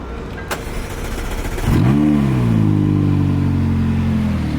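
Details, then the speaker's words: Wrecked McLaren 570S, started with its existing battery: a quick crank, then it catches cleanly, flares and settles into a smooth, even idle with no misses or knocks. It sounds good, and temperatures look normal, rising to 197. "Sounds good when it starts. Temperatures look normal."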